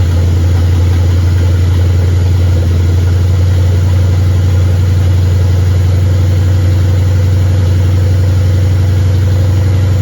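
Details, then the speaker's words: 1959 Ford wagon with Lincoln Town Car EEC wiring and standalone harness, first start with fuel pump jumped and many items unhooked: smooth, even idle, steady low drone, no misses, knocks or stumbles, not smoking; normal idle. "But it's running. And it sounds good. And it's not smoking."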